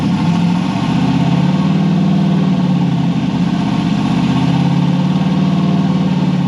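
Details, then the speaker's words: Nissan S13 at idle, steady but slightly uneven loping beat as one cylinder drops out now and then; miss isolated to one cylinder with a wet plug, injector, plug or cam suspected, unconfirmed. Engine misfire. "Still sounds like it's missing a little. A little bit. Unless it's the cam."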